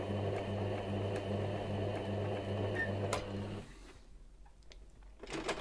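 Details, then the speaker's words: Sewing machine under basic troubleshooting, not yet serviced inside. A steady motor hum with a slightly uneven tick of about four beats per second as it stitches. Running rough. "now for me listening to this it does sound that's it it does sound a bit off so if i"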